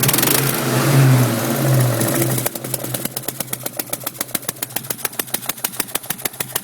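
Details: 2002 GT, third passenger-side cylinder blew its spark plug out: after a rev, the idle shows a sharp puffing pop about three times a second, louder than the engine note; compression escaping past the blown-out plug.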